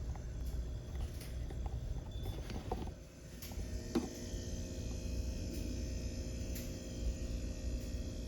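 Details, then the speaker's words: Red Bull mini fridge that had stopped cooling, after repair with an easy solder fix and reassembly; before, it only clicked and did nothing; now low steady compressor hum with faint clicks, no rattle, starting and running normally, cooling again. "So I'm gonna put it through the test again. Plug it in. Now you can hear the compressor running."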